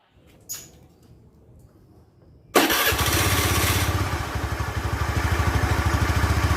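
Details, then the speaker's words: Honda Spacy FI scooter after engine repair for smoking, started up: starter catches and idle settles into slightly uneven pulsing beat that wavers; rough idle still present, to be fixed in next restoration stage. "Ini masih ada kendala di idle dan akan kita perbaiki di tahap ketiga nanti."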